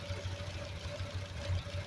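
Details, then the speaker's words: Home-built high-compression Triumph Spitfire 1500 (1977 block, ported 1300 head, small cam, twin SU carbs, Pertronix distributor) idling off the choke, not yet warmed up: a low, even soft beat with a faint tick, no stumbling, no black smoke and the AFR right on; a smooth, healthy idle. "runs like a sewing machine no black smoke nothing like that Run's perfect"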